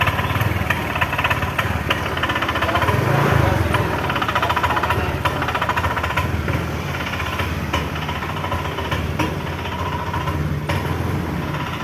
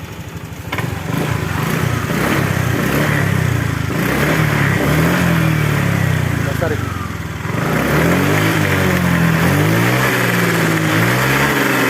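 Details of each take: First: Honda Vario 125 scooter won't take throttle: starts on starter but bogs with rough, uneven knocking putter, stuttering instead of picking up; dies at full throttle; traced to misadjusted throttle position sensor. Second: Honda Vario 125 after ECU reset via DLC socket: engine blips up and settles back smoothly, revs rising and falling cleanly without bogging; healthy throttle response.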